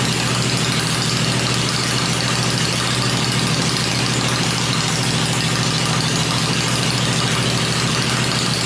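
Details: 96-inch V-twin motor with Edelbrock heads, freshly built and first fired on an engine run stand before installation in the bike; loud steady lope at fast idle, firing evenly, no knock or rattle; normal idle.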